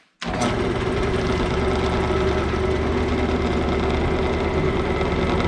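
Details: Lathe on a light stand without ballast, motor coming up to speed with a steady drone and a heavy low rumble as the stand shakes; excessive vibration from an unweighted stand, which adding weights later reduced.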